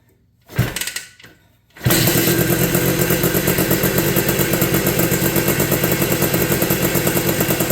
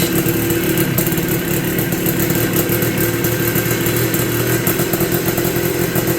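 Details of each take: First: 1983 Honda ATC 250R two-stroke three-wheeler first start after new piston and rings following an escaped wrist pin; after short cranking it fires and holds a steady crisp buzz, no rattle or misfire: runs normally. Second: 1983 Honda ATC 250R two-stroke with a new piston and rings: rough, uneven idle with a rapid rattling beat; owner suspects fuel starvation, possibly from low fuel.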